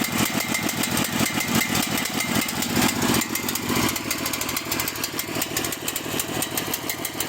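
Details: Cael mini excavator diesel idling roughly: loud, clattery idle with an uneven, lumpy beat that dips and recovers about once a second, then dies.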